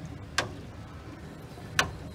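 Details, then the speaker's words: Aquablock water system in chlorination mode: sharp single clicks about every 1.5 seconds over a low hum, the pump inside the Dosatron doser engaging; normal operation. "you'll hear the clicking sound of the dosatron that's actually the pump inside the dosatron engaging"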